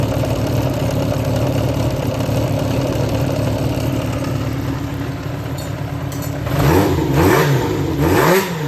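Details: Yamaha XJR400 (4HM, early type) engine assembly, start check, compression measured, no abnormal noise or white smoke: steady, even four-cylinder idle, then a few clean throttle blips that rise and fall smoothly. Healthy engine.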